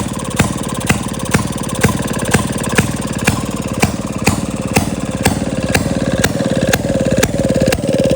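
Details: 1937 Maytag Model 92 single-cylinder two-stroke, bolted to 2x4s, after gas tank and mixer cleaning: crisp, even popping with a strong beat about twice a second over rapid firing; running smooth and healthy.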